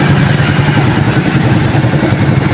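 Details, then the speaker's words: Suzuki Shooter 115 FI single-cylinder after a full engine overhaul (missing transmission washers corrected) and 12 V battery support: steady even idle, no ticking or scraping; healthy. "Walang lagitik, walang kaluskos. Back to standard ulit yung kanyang tunog."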